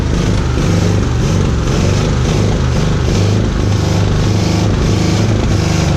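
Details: Oldsmobile Rocket 88 V8 (56 years old), imported, stood unstarted over 20 years, fired on a little primed fuel and dodgy key; loud, lumpy uneven rumble, rough running after long storage with a backfire.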